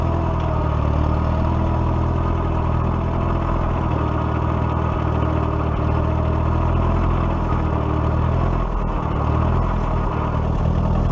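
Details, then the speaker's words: 1941 Case SC tractor after governor repair: old petrol engine runs with a steady, even low chug, no misses, knocks or surging. "I'd have to say it runs much much better you guys can hear that dump him pickup when we go up the hill"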